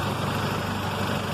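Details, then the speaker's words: 1994 Honda Civic LX, under 93,000 miles, started after battery charge/jump, AC running: steady, even, quiet idle hum with no knocks or misses, loud exhaust note from a bad muffler; normal idle. "that's with the air conditioner running and everything pretty quiet the only thing you're going to hear again is that exhaust note which is way off because there's definitely a bad muffler on this bed bad boy"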